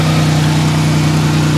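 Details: Buick LeSabre that sat 3 to 4 years, running after the fuel pump was revived. A smooth, even low idle with a steady rumble and no knocks or misses. The engine is healthy.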